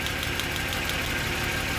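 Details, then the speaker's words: Jaguar XJ40 XJ6 4.0 Sovereign at idle: uneven, loping with a faint recurring stumble. One cylinder misfires because rainwater mixed with oil pooled in its spark plug well, shorting the spark off the side of the plug. "You can see it's that cylinder because we've got no change in engine. We've got good spark, look."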